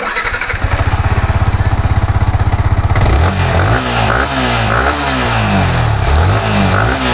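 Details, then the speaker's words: Yamaha R15 V4 with a hard-starting, rough misfiring complaint, after cleaning, refitting and refilling oil with spark now strong: starter cranks in quick even pulses, engine catches at once and revs cleanly; normal start, MIL lamp still lit. "നോക്കാം friends സാറെ കുഴപ്പമൊന്നും കാണിക്കുന്നില്ല. ഓക്കെയാണ്"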